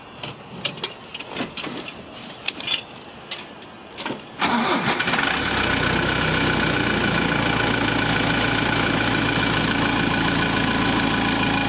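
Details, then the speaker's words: Military-grade forklift started after reinstalling refurbished hydraulic tilt cylinders; hydraulic fluid likely low. About four seconds of quick, even cranking, then it fires at once and settles into a steady idle: healthy start. "Wow, that started right up. There they go."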